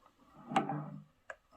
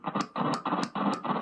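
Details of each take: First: Electric guitar through an amp after spraying electrical contact cleaner into a dirty, crackly volume pot: clean notes ring with no crackle or scratchy pops. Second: Electric guitar volume pot heard through the amp after spraying contact cleaner into it: scratchy crackling bursts still cut in at one spot as the knob turns. The noise seems not to come from the top, so the control cavity is opened next. A dirty pot.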